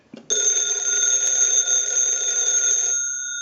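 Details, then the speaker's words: AT&T candlestick telephone with bell box, ringer tested during repair because ringing was one of its issues. Bright, steady metallic ringing for about three seconds, then a clean fade; ringer works properly. "We're going to let that go a few times since that was one of the issues. I'll let it go one more time and we'll give you some dial tone."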